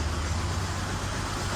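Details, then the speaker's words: Nissan Altima four-cylinder at idle, check engine light on but not flashing: low uneven stumbling rumble, sounds terrible; misfire, later traced to a leaking valve cover gasket. "Check engine light's on. It's not flashing for some reason. It sounds terrible."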